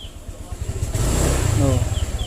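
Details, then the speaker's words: 2020 Honda Vario 125, a new scooter, with a pickup-hesitation complaint: the engine putters low, then after the throttle twist there is a lag before revs climb and it pulls; it will not pull straight away and struggles on hills. "Oke, saya sudah memutar tuas gasnya. Namun, benda itu tidak langsung bergerak ."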